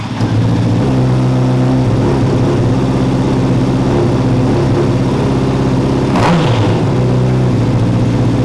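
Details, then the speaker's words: Honda CBR600RR with a loud engine note, stumbling uneven beat and a brief blip; rough idle jumping around 1,200–1,500 rpm, feels like a misfire despite plugs changed about 1,500 miles ago; owner suspects exposed, snapped wiring harness wires. "has a very rough idle feels like no power in between like 1 2 500 rpms idle is all over the place jumps around"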